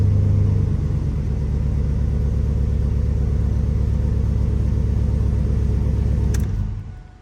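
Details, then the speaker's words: 2003 Chevy Silverado after fuel pump replacement: deep steady rumble with even firing, no misses or knocks, then a clean shutdown; new fuel pump confirmed good. "and that is it we know the fuel pump is good and ready to go I could hear it firing out here"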